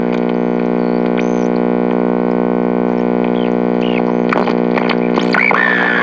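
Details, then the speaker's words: GE H-500 AM tube radio switched on: a loud, steady buzzing hum as it warms up. Bad filter capacitors are suspected, not confirmed. "So wow, holy crap, have I actually run into one of these radios that had bad filter capacitors? I think so. This is probably almost the first time."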